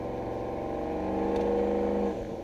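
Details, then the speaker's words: Turbo truck at part throttle, cold weather: a light-throttle drone with a fast fluttering chuff that surges constantly and stops when the throttle lifts, turbo compressor surge. "You can hear a compressor surge constantly."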